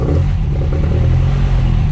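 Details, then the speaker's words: Classic Mini 1380 in neutral, after a misfire in traffic: number four plug was soaking wet, all plugs cleaned and refitted. The engine now pulls strongly and evenly with a steady deep rumble and no missed beats; normal running, head gasket ruled out. "yeah sorted I really thought it was going to be head gasket or something but no she's back to life again absolutely brilliant"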